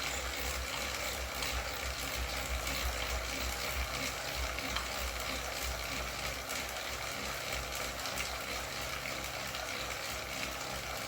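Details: Wahoo KICKR CORE trainer with Zwift Ride on a rocker plate, faster pedalling at about 90 rpm and 170 W: quick faint ticking about three times a second over a steady hiss. This is a known internal clicking fault; the unit was replaced.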